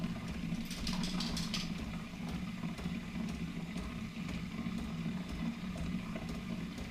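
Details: Keurig Rivo R500 cappuccino and latte system, first-use frother priming: an even low pump hum running smoothly without stutter or rattle, with light water sounds. Normal priming.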